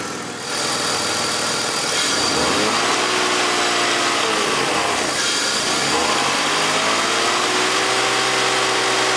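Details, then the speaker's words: BMW Z3 six-cylinder petrol engine warmed up, idling very smoothly, then two clean throttle blips while listening for VANOS rattle; none heard, VANOS system fine. "so the engine is now a bit warmed up and you can see how smooth it runs on idle the water is basically not moving it and it sounds very smooth i'm going to give it a little bit of throttle and then we can listen to the rattle if there is any"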